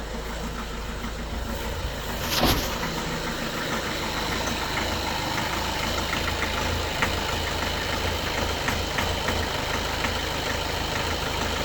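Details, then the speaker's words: 2013 Skoda Octavia A7 1.6 TDI diesel, 188,000 km, cold idle: uneven running with loud clattering knock and heavy shaking, as if one cylinder not firing; injector correction values show problems; cause unconfirmed. "Машину колбасить капець. 1,23 попригує. Нерівномірно."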